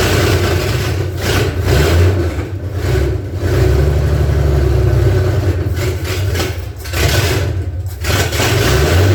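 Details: Derelict 1978 Ford F150 revived, cranked from under the hood with throttle worked at the carburetor, no throttle cable fitted: engine surges unevenly, dipping and nearly dying between blips; rough running, won't idle.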